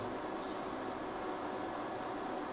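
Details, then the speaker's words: Livoltek GF1-5K48S1 5 kW 48V off-grid inverter at about 2.2 kW lamp load: constant soft fan whoosh, no ticking, rattle or wavering; fan noise measured 78 dB, average 69, max 85, near 70 dB; normal. "Coba kita cek berapa noise-nya. Oke, ini noise fan-nya di angka 78 ya. Ya, rata-rata di 69 dB, maksimum di 85."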